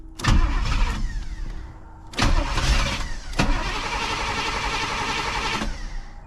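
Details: 1985 Pontiac Trans Am, sat a year not starting, after ignition power wire fix; fuel pump seems to run only off the oil pressure switch: three long cranking bursts with uneven catches that nearly fire but never run. Cause unconfirmed.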